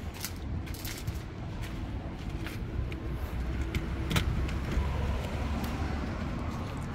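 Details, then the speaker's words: BMW E90 with a starting and cutting-out problem, cranked on a jump pack that may be run down. Uneven, labouring cranking with rattles and jingling, never firing. Cranks with no start; cause suspected, not confirmed. "yeah try again no it's done"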